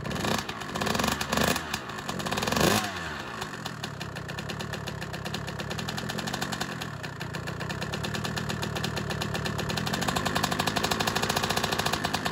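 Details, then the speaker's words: Honda CR125 two-stroke just after the cylinder was bored and replated, with a new Wiseco Pro Lite piston and new head: it crackles to life into a raspy idle with a fast, steady light tick on every revolution. Owner suspects a big end bearing. "so it started up but it's making a little bit of a noise i don't particularly like maybe a big end bearing"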